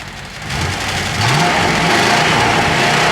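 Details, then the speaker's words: 1995 Cadillac Fleetwood after its engine misfire was solved: the engine climbs cleanly from idle into strong, even revs without stumbling. Before the fix it was gutless; the exhaust is noted as clanky. "now isn't that a major improvement before it was gutless it wouldn't even do that"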